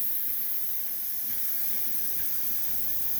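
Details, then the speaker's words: Brand-new welding gas cylinder draining to zero quickly: steady, high-pitched unbroken hiss of gas escaping from the top of the cylinder valve. "But it's leaking pretty good, and it's leaking out of the top of this valve."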